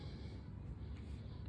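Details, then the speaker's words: Komfovent ventilation unit in normal mode, tested with silencers fitted on both sides; a low, steady hum with almost no hiss, since the noise is airflow rather than the unit itself. Normal quiet operation. "режим ро роботи нормальний. Шума ми майже не чуємо."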